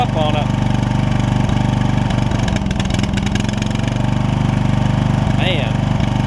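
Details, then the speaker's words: Toro Wheel Horse 1232XL hauler tractor, 12.5hp Briggs single, just after fitting a Hipa carb kit: steady, slightly uneven fast idle with heavy gas smoke from the fuel-filled muffler burning off. "man that's all gas smoke cuz where that muffler was filled up so it's got some burning off to do"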